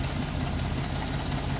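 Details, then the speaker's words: Free Jeep with a new distributor cap but original wires: idle thumps come unevenly with weak or skipped beats; misfiring at idle, cause unknown. "he's trying he just runs like crap i don't know what the deal is"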